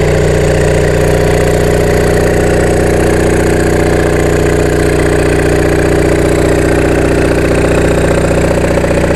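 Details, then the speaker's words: Onan MDJE diesel generator on temporary cooling setup, about 9-10 V residual on E1/E2 winding: steady even diesel beat at constant speed, smooth low drone, no knocks or misses; normal running. "I got about 10 volts residual, 9 or 10 volts. That's good. Well, let it run for a while. Sounds good."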